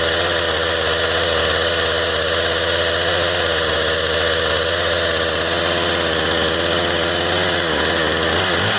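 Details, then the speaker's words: Husqvarna 455 Rancher chainsaw after run-over repair (new plug, air filter, fuel line, fuel filter, primer bulb, throttle linkage), held at high revs short of full rpm: rough blubbery four-stroking burble under the scream through the power band, running too rich and smoking, carburetor needs leaning. "power out of it because it sounds like she's getting way too much fuel all the way through the power band so which i didn't really uh hit full rpm with it but it sounds like it's four stroking all the way up and she shouldn't be doing that"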